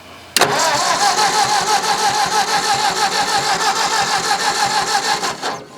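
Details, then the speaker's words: Old Ford tractor, possibly an 8N, cranked with the air intake covered: starter churns steadily, about three turns per second, for five seconds without catching; no fuel is drawn, and a stuck carburetor float is suspected. "It should be getting. It ain't getting a bit of gas."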